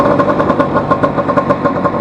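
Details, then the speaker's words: Vespa 150 ridden on a straight at around 80 after the broken elastic pinion was replaced, with the engine cowl still off to check for fuel leaks. Crisp, regular two-stroke pulses under load are heard; engine and gearbox run perfectly. "Esto va perfecta, más que perfecta. Ahora vamos a darle un poquito de caña."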